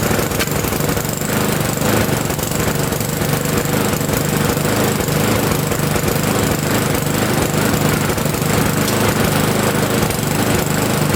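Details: Victa Sprinter mower, previously non-running, with fresh fuel and borrowed Briggs air filter: single-cylinder engine fires fast and steady at a loud, constant rate without stumbling, burning off some oil in the cylinder; running properly.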